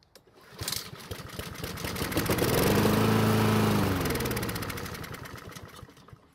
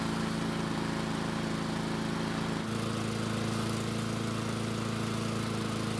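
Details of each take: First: Husqvarna mower found free, oil level fine, little gasoline, air filter off and fuel added: engine catches, runs briefly, then dies within seconds; owner suspects part of the fuel system. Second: Husqvarna mower with new blade, running after a no-start repair: steady, even single-cylinder drone with no misses or surging; running smoothly and healthy.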